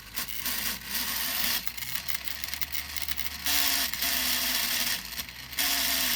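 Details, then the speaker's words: Prototype 3D-printed Newman-style pulse motor running at only 7 volts without bearings. Buzzy, rattling whirr rising in pitch with speed as the floating rotor rubs. "well since there's no bearings in there it's making a lot of funky noise but it is working it's only at seven volts"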